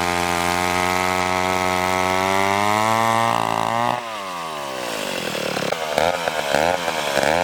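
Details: McCulloch 1-42 two-stroke chainsaw, restored project saw, cutting wood: crisp scream revs up cleanly, then bogs and recovers smoothly as it bites; running right, likened to the Texas Chainsaw Massacre saw.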